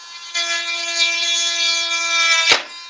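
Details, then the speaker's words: Dremel rotary tool spinning with a high steady whine while trimming a Schumacher Fusion RC car body, then a sudden sharp crack and wind-down; sounds like something mechanical broke inside, possibly a snapped connecting rod. "Sounds horrible. Sounds like something just broke mechanical. Yeah, it sounds like a connecting rod just snapped in there."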